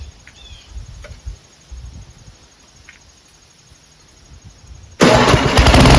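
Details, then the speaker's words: Snowblower engine started on 110 V AC electric starter after sitting 4 years winterized; near silence, then catches at once and settles into a steady run without needing the expected carburetor clean; normal start and run. "I thought for sure I needed to do a carburetor clean, but I guess not."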